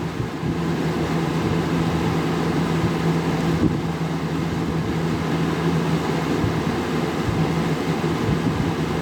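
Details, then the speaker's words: Vintage 1983-84 Sears model 453-8121 20-inch Lasko-made deluxe fan running on high: smooth, constant low hum under a steady rush of air with no ticking or scraping. Runs well, good air movement. "Runs pretty good. These early 80s Galaxy Lasko fans, or pretty much any of the 80s, 90s Galaxy Laskos, all had really good air movement in my opinion."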